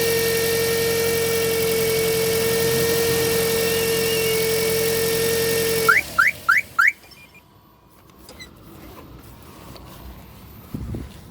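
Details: Toyota Auris idling, steady mid-pitched electrical hum from the alternator area under the hood; not metallic like a bearing, belt ruled out; finding: alternator whine from failed diode bridge.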